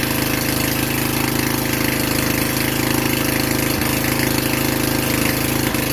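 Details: Vintage Generac Niagara 2250 W generator, model 5621-0, Tecumseh 5hp single-cylinder, after gas hose and air filter replacement, running without choke in a garage under electrical load: steady, even thrum with no surging or hunting; producing power, healthy.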